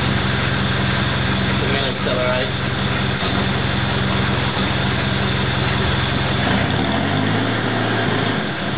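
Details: Mitsubishi Pajero diesel on cold start idles with a rough, uneven beat and random misfire stumbles lasting 30 seconds to 3 minutes or until revved, for four years since high-rpm sand dune driving; also poor economy and power loss.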